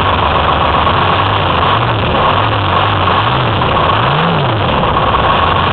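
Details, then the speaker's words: Detroit Diesel 6V53 two-stroke in a 2004 Ford F-350 with Allison MT-653 automatic, after rebuilt blower install: steady, even run with smooth rev blips, no knocks or misses; sounds healthy. "and there you have it running once again"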